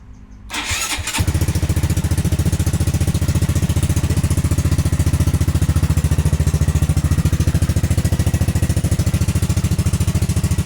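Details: Honda Grom after ABS module delete and wiring bypass, non-ABS aftermarket rims: brief starter whir, catches within a second and settles into a steady even single-cylinder idle; healthy start and idle.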